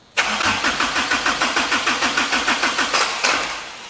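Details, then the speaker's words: Kubota engine after work, cranking with battery connected, radiator and intake not yet fitted; even starter pulses about three per second, never fires, oil pressure 20 psi, weak fuel flow with much air in fuel system. "We're getting a little bit of fuel. Not enough where I'm happy with it, but there's still a lot of air here."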